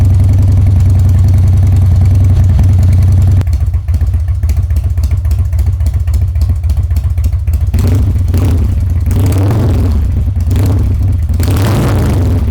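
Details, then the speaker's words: Harley-Davidson Twin Cam Dyna Glide (FXD), 39,000 miles, after CV carburetor rebuild and intake manifold reseal, cold start on choke: catches at once, lumpy but even twin idle with blips, fine at half choke, no fuel leak; healthy. "Yeah, so as you can see there, basically starts right up and more or less immediately idles. You can knock it from full choke down to half choke, and it seems fine."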